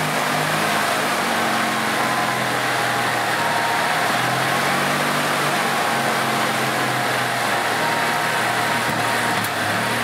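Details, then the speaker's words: 2006 EZGO TXT gas golf cart, formerly a crank no-start from water in the fuel, after the repair work: in neutral, the petrol engine gives a steady, even, unbroken hum with no stumbles or knocks; it runs smoothly. "seems to be running pretty good now"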